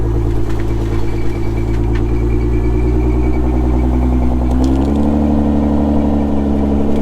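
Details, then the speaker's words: Salvage car at an insurance auto auction: smooth, even idle, then clean revs that hold without stumbling. Engine sounds healthy, no check engine lights, only the airbag light on. "okay yeah this thing's solid no check engine lights nothing just the airbag light"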